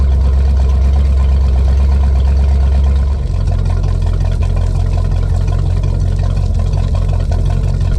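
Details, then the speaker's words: 1988 Ford 351 Windsor carbureted PleasureCraft Marine V8 in a ski boat, extremely cold first start after winter storage, no mufflers; loud deep unmuffled burble settling into steady even beat, may smoke from fogging oil; normal cold idle. "so you can see a extremely cold start on an old 1988 351 Windsor with no mufflers."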